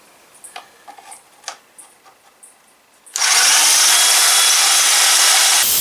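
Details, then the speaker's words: Ozito DBS-095 drill bit sharpener: after quiet handling, about 2.5 seconds of steady, even, high-pitched grinding as a nearly finished bit is touched up. It is normal, clean cutting, and the bit ends with a very nice edge. "Okay, it's about 3/4 of the way through. It's creating a nice edge on it."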